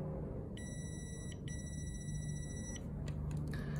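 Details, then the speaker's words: Relay tested off the car with a multimeter continuity check between pin 30 and an 87 pin while the coil is energized: two clean steady beeps show the switch closes; relay working properly. "so it means this relay is working properly"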